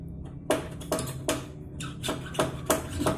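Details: Old Royal Enfield front fork: sharp hollow knocks, about two or three a second, each time the fork piston rebounds. The spring was left out at an earlier assembly and is missing from the fork.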